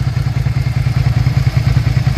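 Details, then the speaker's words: 2003 Suzuki SV650 V-twin after rebuild with new radiator and 50/50 antifreeze, run about 10-15 minutes: steady, even low thumping with no knocks, ticks or misses; normal running, electrics working. "good sounds real good I let it dry I let it run for about maybe 10-15 minutes"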